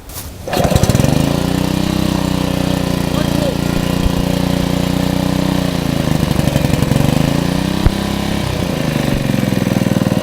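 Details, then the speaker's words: Honda GX120 reassembled after head work, one bolt left over, started first pull: short crank then steady, even single-cylinder thump; normal running, owner notes a slight exhaust valve flutter. "well it obviously works it started first pull"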